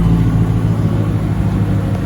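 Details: 2005 Mercedes CLK500, M113 V8, running after replacing leaking valve cover gaskets and breather cover. Deep, even V8 rumble with a steady raspy exhaust note and no knocks or ticks; normal running.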